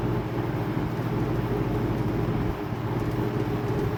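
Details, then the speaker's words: Vintage LAU 20-inch box fan with old Fastco motor (about 3.3 amp), likely never oiled: strong steady hum with low throbbing rumble; fan shakes out of balance, owner suspects a screw left in one blade. "Powerful. It runs very well, minus the shake."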